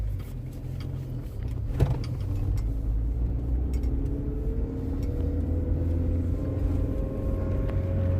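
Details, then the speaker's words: Land Rover Freelander 1 driven slowly over bumps on a private road; a single dull clunk over the low road rumble, louder on the left front, from a worn anti-roll bar drop link ball joint. "now you normally hear the the drop links if you hit like uneven road surface that bump or open the curb"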